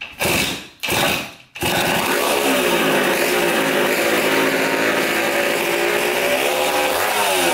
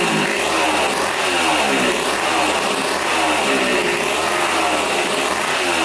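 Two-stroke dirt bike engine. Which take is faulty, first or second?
first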